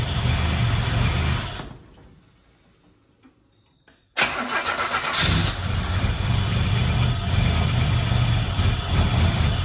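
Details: Buick Grand National with rebuilt 140 block and fresh cam, first start after nearly a year: cranks, dies away briefly, then catches cleanly into a steady even idle with a low rumble; cooling system not yet fitted, so only a short run.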